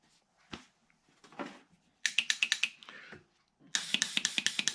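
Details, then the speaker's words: Jeep Grand Cherokee NAG1 transmission (neutrals in 4th gear), shift solenoids bench-tested with a switch; crisp even metallic clicks in quick bursts, opening and closing with no sticking; normal solenoid operation. "Okay, I hooked myself up a starter. You can hear it clicking. I'm just going to check these. It opens and closes. No sticking."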